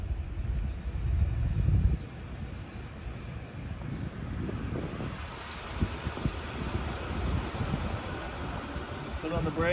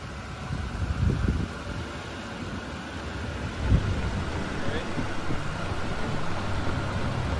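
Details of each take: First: 2011 Chevrolet Impala 3.5L V6: a thin, steady high-pitched brake squeal over faint road rumble as the brakes are applied. The pads are worn to the wear indicator; fixed by replacing the rotors and pads on all four wheels. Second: 2011 Chevrolet Impala 3.5L V6 on a test drive after new rotors and pads on all four wheels: only steady tyre and wind rumble, no squeal or grinding; the brakes are now quiet and healthy.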